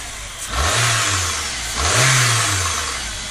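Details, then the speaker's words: Rover 25 after coolant change and cambelt tension adjustment fixed a strange cam cover noise: two quick throttle blips, revs rising and falling cleanly with no rattle or squeal; normal, healthier revving. "sounds much healthier don't so you can hear the difference how many millions of revs is it doing th000"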